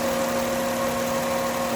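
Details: 2009 Honda Accord 3.5 L idling: steady high-pitched whine from the engine bay, not power steering but a failing alternator rectifier diode; the whine disappears when the alternator is disconnected.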